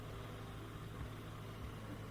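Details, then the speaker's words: New Bosch Ascenta dishwasher, first startup test after installation: steady low hum and even buzz as the drain motor vibrates during its pre-cycle check, no knocks or grinding; normal drain pump operation. "And that goes solid. And I can hear things happening underneath. I can feel this."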